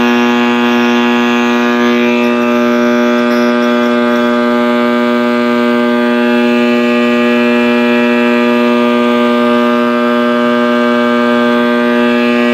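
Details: 1960s General Electric black-and-white tube TV, back off and plugged in while warming up: a loud steady howl from the speaker with a strong low hum and a ladder of overtones holds unchanged throughout; audio fault of unknown cause.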